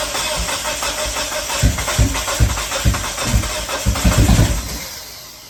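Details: 1997 Mitsubishi Eclipse GSX, new battery, rewiring after crank position sensor found unplugged and a ground off the AEM 3.5 bar sensor, throttle position code present; starter cranks evenly about three seconds but never catches, crank no-start.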